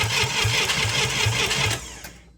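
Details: International Scout 800A after years stored in a barn, during distributor and spark checks: steady cranking at about four turns a second with no firing, then stops; cranking, no start, it later pops with a shot of fuel and backfires through the carb.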